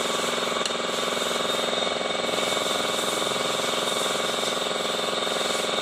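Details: Honda i-DSI transmission: gritty, rasping grind pulsing about three and a half times a second over the running engine, inside the gearbox, with vibration and delayed shifting reported.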